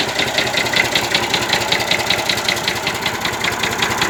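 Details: 1965 Massey Ferguson 135 diesel tractor at idle: sharp regular knock two to three times a second, seemingly from the top of cylinder 1 or 2; engine also breathes and spits oil from the dipstick tube; rebuild likely needed.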